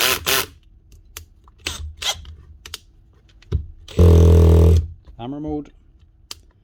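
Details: Cordless drill after swapping the bad gearbox for a complete replacement gearbox unit on the good motor: short bursts of clean, even motor spin with one speed ramp and no grinding or rattling; normal drill operation.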